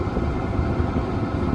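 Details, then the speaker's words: Chinese diesel heater in a small van, two years old, hot and at its fastest setting: a loud, steady low roar like a jet taking off, with no knocks or rattles; normal high-speed running. "as you'll hear it's quite quite noisy sounds like an airplane back take off it's lovely and hot now though"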